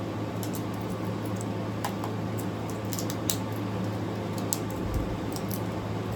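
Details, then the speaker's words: Newly installed GE AWFS10WWL 10,000 BTU window air conditioner; a low, steady hum with a soft fan rush and no rattles. The compressor is so quiet it seemed off, yet the air comes out almost ice cold; running normally. "I was thought it wasn't working there for a minute cuz I couldn't hear the compressor, but now I feel the air is almost ice cold coming out of there. And that's the compressor running."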